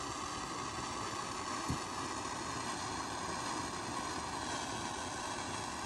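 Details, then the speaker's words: Restored vintage Coleman lantern (1952 252 or 1950 242C) at lighting: it gurgles, is preheated, then the fuel catches; an even, steady hiss with no sputter or popping as it warms, not yet full brightness (owner thinks it is burning junk out): normal running. "Just started to gurgle. Give it a little heat up here. There's the fuel caught."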